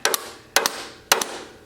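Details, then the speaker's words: Scrapyard Dynamark lawn tractor jumped straight to the starter from a jumper pack: sharp double clicks roughly every half second with no cranking. Starter is bad. Failed starter motor. "starter's bad that's another way to check"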